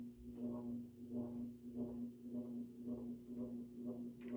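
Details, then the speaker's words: June 1984 Evergo 52" hugger ceiling fan, model 4E-6LW P35, orange cast-iron motor, running on high: steady low hum with a buzz swelling and fading about every half second; very noisy, owner suspects motor slightly out of round. "And yes, it is very noisy. These are known to be pretty loud. They aren't the best quality motors, so it's probably just like a little bit out of round or something."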